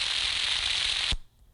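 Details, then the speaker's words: Ultrasound recording (SpectralERT) of a dry, under-greased electric motor bearing before greasing: harsh choppy crackling like crumpled cellophane, steady then cut off. "this is the bearing that's dry okay listen to the choppy sound in you're going to hear it it's going to sound like propane propane plastic potato chips sack cellophane is what I'm trying to think of crackling okay put the crackle in"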